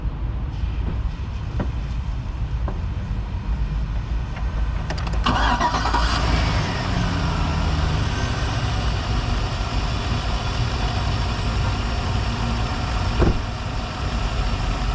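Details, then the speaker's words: 2004 Chevy Silverado 1500 after new alternator, belt, alternator pulley, tensioner and battery: cranks briefly, catches right away and settles into a steady, even run with no knocks or squeals; normal start. "You heard how this starts up. It starts right up. No problem."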